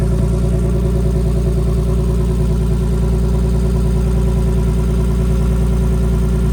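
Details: Big-turbo BMW E46 on a new tune, warm, open downpipe with no exhaust; loud, raw drone with a rapid, fairly even chuff and rattle, plus leak noise from a wastegate held on but not tightened.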